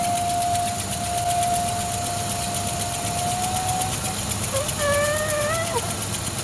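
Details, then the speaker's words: 1966 Mustang with rebuilt engine at idle: steady idle with a thin whistling tone that wavers and splits, odd noise; owner suspected plugged PCV valve, but valve rattles freely, so PCV hose to be replaced. "not good. Well, not bad, but funny. I'm guessing plugged PCV valve."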